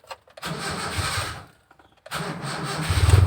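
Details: Car engine with the battery at 11.6 V: a brief crank, a pause, then a quick crank that catches at once and settles into a steady idle, with the charging voltage rising afterwards; the engine starts normally.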